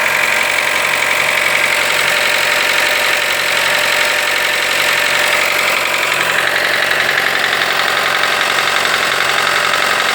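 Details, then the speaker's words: Fiat Toro / Jeep Renegade T270 1.3 turbo engine just after start: fast, fairly even light tapping over a steady idle, about two per second; this is the engine's characteristic noise, nothing wrong. "Vocês estão ouvindo característica do motor veja bem"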